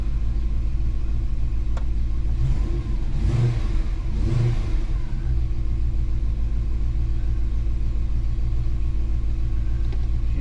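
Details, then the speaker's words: Holden HK engine just started after carburettor work, idle brought down, turning over unevenly with a couple of revs and a lumpy beat; running a bit rough, owner suspects the carb he had apart; warming up, waiting for thermostat to open. "a bit rough but like i said that that she sounds like she's running a bit rough but that could be um because of that uh cub um gabby that i had in pieces"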